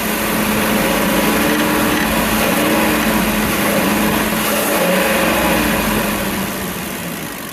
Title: 2006 5.4L 2v, tapping sound pronounced around 2300 rpm. Update: ITS ROD KNOCK